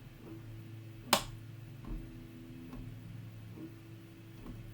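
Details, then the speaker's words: New desoldering station dead on arrival, LCD blank: faint regular tick slightly faster than once a second over a quiet hum from the power supply at switch-on, apparently repeatedly failing to start; unit to be returned. "just blank and i can just heard the as i'm ticking from the power supply when i turn it on"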